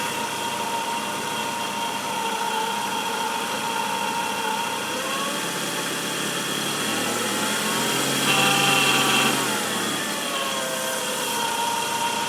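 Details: 1994 Nissan Altima, steady high whine over even engine hum, rising with a small rev, most noticeable around 2000 rpm, present warm or cold; alternator replaced without fixing it, source not pinned down; engine whine.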